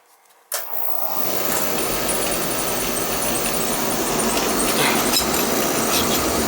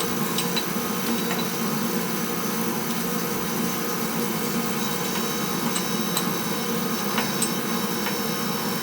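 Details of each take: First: Oil burner for a no-heat house call, after replacing the delayed oil valve: lights with a sudden whoosh, then steady even roar with faint flutter, a little rumbly; technician judges it running slightly lean, possibly delayed, cause unconfirmed. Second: Steady, even oil burner roar with no surging or sputtering, light tapping in background; burner fires smoothly with good fuel flow after bleeding air from the pump.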